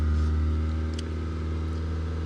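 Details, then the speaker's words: 1993 Mazda 323 1.6 automatic, 30 years old, just after a start that followed a starter noise; smooth steady low hum with the idle running a bit high, settling back to normal after a tap on the accelerator. "was revving a bit high, so once you accelerate, the rev becomes normal. It doesn't rev up."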